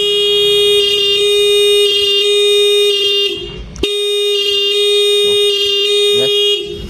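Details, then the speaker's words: Honda Beat 2019 battery check: horn pressed while holding the electric starter stays loud and steady, and just as loud after release, so the battery is not dropping; the intermittent starter fault is not the battery. "Tapi kalau ini bisa teman-teman dengerin tadi suara klaksonnya makin nyaring, terus dilepas nyaring lagi. Berarti bukan dari aki."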